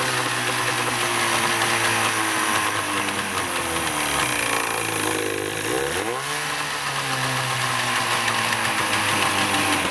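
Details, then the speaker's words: Vintage Evinrude/Johnson 35 hp two-stroke outboard, running after purging bad gas: buzzy drone that sneezes, sags and stumbles at low rpm then picks back up, like missing; low-speed misfire, cause unknown. "Sneezes and dies, and that's the next thing I gotta figure out. Let me show you when it's down low RPMs."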